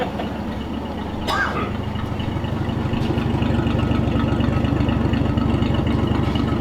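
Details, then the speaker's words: Lincoln V12, mods undone: engine idles with steady low rumble plus a fast, regular puffing tick from exhaust leaks, mainly at the muffler area; exhaust burning off old debris. "unfortunately you can hear all the fle too yeah you can hear all the exhaust leaks mainly that muffler area right there"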